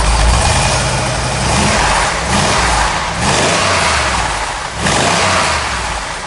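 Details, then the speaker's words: 1970 Dodge Challenger R/T V-code 440 V8, restored, no leaks seen, off the lift; deep lumpy idle swelling in slow smooth rev blips about every second and a half, normal idle and rev. "we'll fire that motor up. That way you get to hear that big 440 in there, listen to it hum a little bit,"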